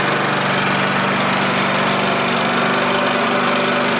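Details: Husqvarna LTH 1542 lawn tractor running after a drive belt change and after starting on the third try. Small single-cylinder engine holds a steady, even buzz with no misfires or surging. Mower runs healthy.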